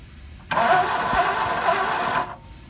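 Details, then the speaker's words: Second-hand 711M engine in a Mark 1 Escort, first start attempt with new coil, fuel and battery after starter repair: starter spins fast and light about two seconds without catching; low compression on three cylinders, fourth dead. "As you've seen in the video, the compression is low, so the car's compression is down. On 3 cylinders it's down, and on the 4th cylinder it's actually dead. There's nothing, there's no compression."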